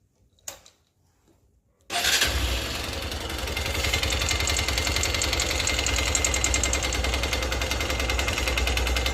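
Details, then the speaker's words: Honda XR150 that ran without oil and now smokes: steady hollow knock about three times a second under the idle, piston skirt slapping as rings and piston are likely worn. "el ruido está golpeándose el pistón Ahí vamos a mover con este nosotros y se va a escuchar acá Ese es el faldeo del pistón al quedar sin aceite se habrán comido Los Aros y también gastó el pistón"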